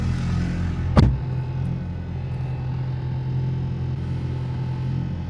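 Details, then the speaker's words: Audi TT with 24-year-old blown motor mounts replaced by DIY polyurethane mounts, idling with door closed; steady low drone with mild buzz, slightly more idle vibration than before, acceptable. "Once it idle's down, it's not bad. There definitely was a little bit more vibration, but I mean honestly, this isn't bad."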